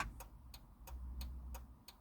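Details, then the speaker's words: Maserati GranTurismo, hazard light switch pressed while testing a new touch-screen AC controller install: crisp, even ticks roughly every third of a second, steady and unbroken over a quiet background; hazard flasher cycling normally. "But you can probably hear that, and you can see it flashing down there as well. So that works really well as well."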